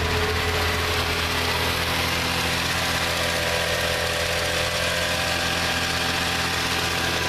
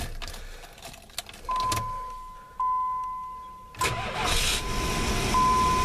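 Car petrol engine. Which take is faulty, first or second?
second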